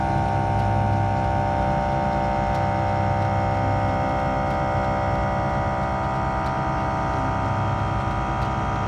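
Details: Onboard air compressor (WirelessOne) on a 2023 Ford F350 Super Duty kicking in to inflate Air Lift LoadLifter 5000 Ultimate air bags toward 70 psi with a heavy trailer loaded front-heavy: steady, even motor drone, constant pitch, no knocking; runs normally.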